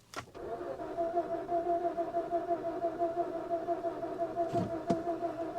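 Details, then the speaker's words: Infiniti G37S V6 manual sold as a run-and-drive, with the fuel pump heard priming and fuel present: the starter churns steadily for several seconds with a couple of sharp clicks, but the engine never catches. "She doesn't sound like she's trying to start at all."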